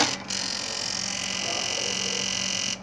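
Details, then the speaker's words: PlayStation 2 optical drive with no disc: steady raspy, high-pitched grinding croak from the reader, even without holding the lid switch; the flat ribbon cable is suspected corrupted or damaged. "e esse problema Esse problema aqui do do Barulhinho do leitor é um flat esse flat ele pode estar corrompido"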